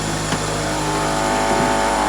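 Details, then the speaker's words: Toyota Celica GT-S engine at idle: steady idle with a constant buzzy drone over the engine hum; owner suspects an engine mount going bad, cause not confirmed. "is your engine mount going bad or something maybe might be"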